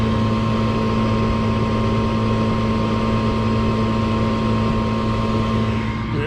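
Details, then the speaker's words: Four-year-old Trane furnace in attic, inducer (draft) motor running: steady droning hum with strong low buzz, vibration transferred through floor to bedroom below; replacement draft motor to be ordered. "doesn't sound horrible up here but below this room it really exaggerates itself feel it right under the bottom you got this block you've got this floor and then you've got the wall for that bedroom so it's noise transfer basically we're dealing with so I'm gonna order a new draft motor for this unit"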